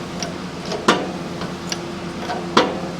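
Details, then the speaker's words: Shop press pressing a motorcycle crankshaft by hand pump, after a new full-span plate was added above the jack: sharp single pops over quiet pumping clicks, popping only as each stroke starts; much less jumping than before the modification. "still some popping but it's not it's just pops when you start okay now it's starting to get further in it's getting tighter"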